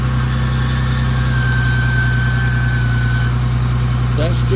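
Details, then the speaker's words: 1986 BMW 535i E28, revived after sitting 5–10 years: steady idle with a thin, shrill whistle from the intake manifold that wavers then fades; source not pinned down. "a child screaming in the intake manifold. I don't know what that's about, but I think it's"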